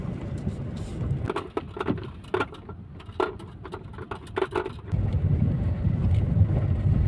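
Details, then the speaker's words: Skoda car driven on rough road after a DIY door rattle fix: steady low tyre roar and a few bump thumps, no rattling from doors, windows or glass; rattle resolved. "और यहां पर सिर्फ अभी tyre की आवाज आ रही है जो कि नेचरली आती है किसी भी गाड़ी में बट जो रैटलिंग की प्रॉब्लम थी व कंपलीटली अभी इससे रिजॉल्व हो चुकी"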